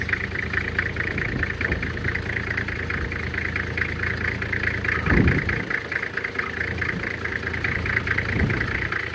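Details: 1997 Toyota Land Cruiser HZJ75 diesel after true cold start around 20-25 degrees, windy, hood open for blow-by test: steady clatter about four beats a second with light hiss, even running; little smoke, blow-by looks good; normal cold idle.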